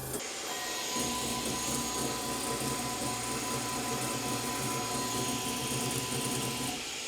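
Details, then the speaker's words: Elegoo OrangeStorm Giga 3D printer, seemingly the X stepper motor on the gantry, during input shaping; harsh, buzzy rasp with uneven, jittery hum as the gantry shakes back and forth; something wrong with the motor, not reading correctly, expected to fail input shaping. "Well, I can already tell you that it's going to fail its input shaping. Something wrong with this motor, for sure. This motor, moving it back and forth, it's not reading something correctly."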